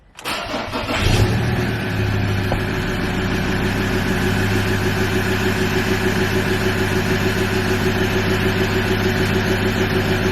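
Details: Ford Ranger T6 diesel started after an EGR cooler bypass and blank with the coolant topped up: a quick crank and catch, a brief flare, then a steady, even idle clatter with no misses or hunting; normal start.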